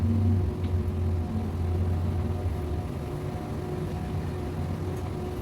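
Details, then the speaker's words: Flex digital microwave oven after replacing shorted high-voltage diode that caused loud hum and no heating: steady low electrical hum with soft fan whoosh, normal operation, heating again. "isasaksak na natin Ayan may number siya wala na yung Ugong"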